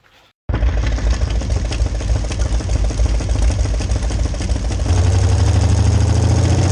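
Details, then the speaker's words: 1966 Chevy C10 rat rod V8, rebuilt carb: heavy lumpy uneven pulse louder under load; fuel pump holds pressure at idle and cruise but bowls empty faster than it supplies. "so fuel pump didn't see that coming the way this acted it acted absolutely like an ignition problem because it had fuel pressure at idle and actually maintained fuel pressure when i was just cruising but what is happening is the bulls are emptying faster than fuel pump can keep up with it"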